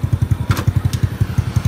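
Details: Elegant 54zz (Elegant 54) motorbike after full gearbox bearing replacement: steady, even low thumping in gear with no whine or grinding; worn bearings had been loud in gears 1–4, now the gearbox bearings sound quiet and healthy.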